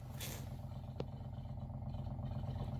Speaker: It looks like, sounds like the machine is filtering water, which is what we wanted to do, and it'll be ready for our next glass of water.